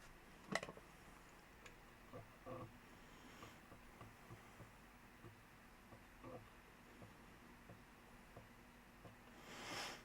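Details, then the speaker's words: Amiga A500 external floppy drive reading a pirated backup disk: quiet irregular ticks and soft clicks, sounds like a cheap disk but still loading. "sounds like a cheap disc but it still seems to be loading definitely definitely cheap though"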